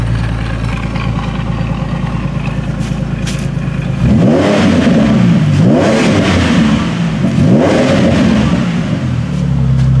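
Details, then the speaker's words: 2008 Ford Mustang previously stuck in idle-only mode with P2 codes, now accepting throttle after a visual-inspection fix: a smooth idle, then three clean revs that climb and drop back without stumbling; normal throttle response. "that's a little better so there we go we're good to go"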